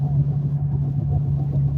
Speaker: and what you're hearing is a wheel bearing beginning to fail in a 2012 Infiniti G37,